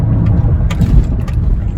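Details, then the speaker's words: Buick Lucerne GM 3.8L under wide open throttle: deep, uneven, stumbling drone as a cylinder misfires; idles and runs fine off throttle. Cause is a weak coil pack drawing excess current and giving weak spark. "is my Buick Lucerne it's got a typical GM 3.8 problem starts missing when I went right open throttle now let out the throttle and she idles and runs fine stick her down when they're up he starts missing"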